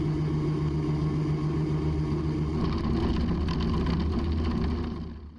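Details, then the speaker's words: Raptor prototype aircraft with Lancia nose gear leg, taxiing at speed: engine drone with low shaking rumble and fast rattling from nose gear shimmy, which stops below about 20 mph; power pulled back, no brakes; no damage found. "And in case you haven't already figured it out, that noise is coming from nose shimmy, from the nose gear, and at this point I'm just along for the ride."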